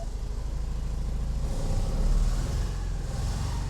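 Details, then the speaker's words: 1986 Porsche 944 after fitting half refurbished and half replacement fuel injectors; starts right away but runs on two cylinders with a deep, lumpy, stumbling exhaust beat, owner suspects the two cylinders with the old injectors; oil pressure good. "she did fire up right away but we are running on two cylinders right now for sure"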